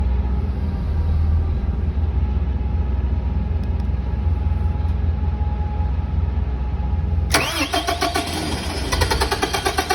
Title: #2 Long Crank but eventually goes